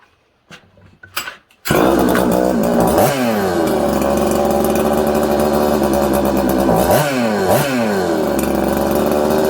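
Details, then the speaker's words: Husqvarna 266XP two-stroke chainsaw with a carburetor that keeps losing tune: revs climb to about 4000–5000 rpm, sag and climb unevenly, want to die when throttled, loading up with fuel as if from an air leak; lean surging idle and bog from faulty carburetor. "it's all over the place it sounds good it's crisp but then it's not uh it's loading up with fuel like it has an air leak okay and what i mean by loading up you're over fueling the saw"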